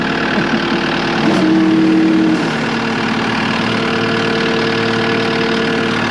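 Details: Cat 259D skid steer diesel after 1500-hour service with new oil, filters and fuel pump, started to check leaks: even steady idle, smooth low drone, no knocks or misses; normal idle.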